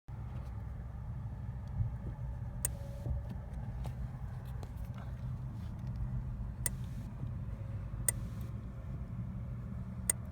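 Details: 2015 Subaru Impreza WRX STI, 40k miles: sharp dry clicks every second or two over low steady idle when pushing in clutch pedal; no grinding, no issues putting it in gear, no other mechanical issues.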